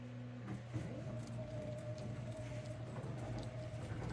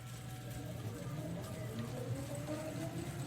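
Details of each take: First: to me it actually sounds like it got worse many of you will feel the same Second: 5k CNC router stepper motors on X, Y and B axes after driver dip switches raised from 400 to 2,000 steps per revolution (probably only about 20% torque left): soft clean tones gliding up and down in pitch, no rough buzzing; smooth motion.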